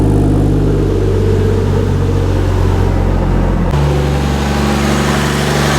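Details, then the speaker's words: 2JZ-swapped Nissan 240SX, turbo with blow-off valve, after reconnecting plugs: deep steady exhaust rumble with a clean rev change, no knocks or misses; smooth normal idle and revs. "Man, this exhaust sounds good. Just smooth."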